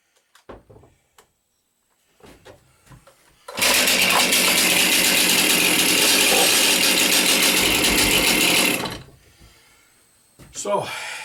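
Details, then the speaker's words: Chainsaw cold start after about four months of storage, choke procedure per manual: several cord pulls with nothing, then it catches and screams at steady high rev about five seconds; hard cold start typical of this saw. "it did go but that's how this machine acts every single time that this was a good it was good today actually but uh normally you'd spend five times that trying to get this going"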